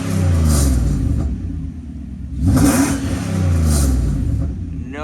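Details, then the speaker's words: 1995 Mercedes-Benz S500 (W140), fully warmed up, revved after swapping in a gas tank from a parts car to cure misfire from a rusty, contaminated tank; the engine rises cleanly through blips and settles back, firing smooth and even with no misfire or hesitation, healthy. "perfect firing I don't think we have any misfire anymore this is sounding beautiful"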